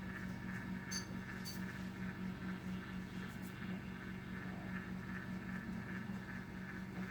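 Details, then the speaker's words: Hethya 120 egg incubator turner test: a steady low motor hum with a faint gritty grinding buzz from the gears; the turner is running normally. "I don't know if you can hear that like grinding noise, but that's the gears. That's the gears."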